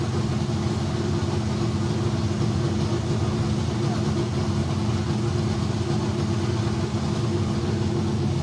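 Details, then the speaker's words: Kyle Petty Pontiac race car V8 idling in shop after electrical fix and carburetor bowl priming: deep steady idle, constant low rumble, no misses, knocks or surging; healthy, though cranking voltage drop remains, rewire planned. "well it's always a good sign when you got smoke inside your shop that means something is running"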